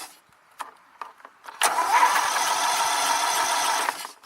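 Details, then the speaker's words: Sears Craftsman Diehard yard tractor with Kohler Commander engine, died again: starter churns steadily at about 3.5 beats a second without catching; cranks but won't start, no ignition; owner suspects bad gas, possibly fouled plugs. "not getting any ignition that's that's something that's something else so good heck could have fouled plugs it is possible"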